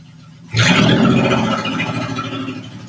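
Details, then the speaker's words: Honda J-swapped Porsche 914 on first startup: the engine catches and settles to a rough, busy idle with a clattering clack; heard on the passenger side, owner wonders about a loose bolt, cause unknown, compression test planned. "sure sure sounds like uh sure sounds like a mechanical clack clack clack though i'm not sure what's going on but uh hey we got a running car"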